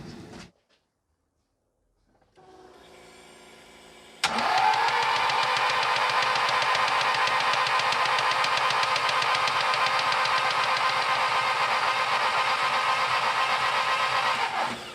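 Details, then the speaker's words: Freshly built Badger 5 2008cc 2.0L stroker race engine (G25-550) cranked on the starter with plugs out to prime oil: fast even tapping about four a second, dry top-end tick that stops once oil pressure arrives at the oil feed; oil starvation at startup. "So now we've got oil coming out of there, we know we've got oil going round, and you did actually hear the top end tick go away as soon as that came out as well."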